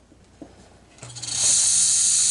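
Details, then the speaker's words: Refrigerator compressor wired directly for a test, with the thermal protector on the common terminal and the other lead on the run terminal: a click, then a low hum and strong, steady air hiss; compressor starts and runs normally. "Tá funcionando direitinho. Muito bom. Vou desligar."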